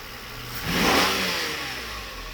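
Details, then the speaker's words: Mercedes V12 (600 SEL type) with Egas throttle control module 7535 installed, revved briefly from under the hood: short clean blip rising and falling smoothly, no misfire or stumble, crisp response; both electronic throttles work fine. "so you see, that was pretty good acceleration. So both throttles work fine."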